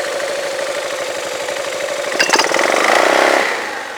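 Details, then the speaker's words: Yamaha Majesty scooter at idle about 1100–1200 rpm, CVT cover off: uneven metallic clanking that changes as clutch engages on a throttle blip; owner sees clutch shoes slapping the bell, unsure if normal. "it's the shoes moving around in the or slapping against the Bell I'm not sure why unless that's normal"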